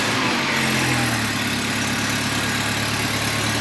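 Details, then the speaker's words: Mini Cooper JCW track build, first start just after fitting an AIRTEC open air intake: steady idle with a sharp, hissy puffing chuff at firing rhythm, an exhaust blow; the exhaust leak is to be sorted later. "Obviously, we've got a bit of a blow coming through the exhaust, so just try and ignore that for just now and focus on the intake."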